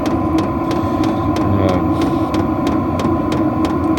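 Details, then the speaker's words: Vevor diesel heater running: sharp regular pulse fuel pump clicks about three a second over a steady fan hum, louder at higher temperature settings; normal pulse pump ticking. "one thing I will say for last is you can hear this um clicking sound just be quiet there so you can hear it it is a little bit annoying and it does get louder if you put the higher temperature as you've heard before um that's from the uh pulse pump it's a pulsating pump"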